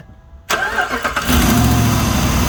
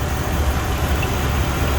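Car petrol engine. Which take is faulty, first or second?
first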